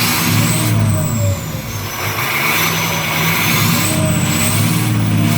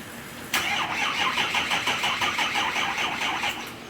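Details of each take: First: 6.0 Powerstroke diesel after replacing the No. 8 injector to cure excessive smoke: a deep diesel clatter climbs and falls smoothly through several revs with a steady turbo whistle and no misfire; healthy running after the repair. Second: 6.0 Powerstroke diesel after replacing No. 8 injector and removing/refitting the oil rail; starter cranks in steady pulses, about three per second, without firing while the high-pressure oil system refills; needed several crank-and-charge cycles before starting.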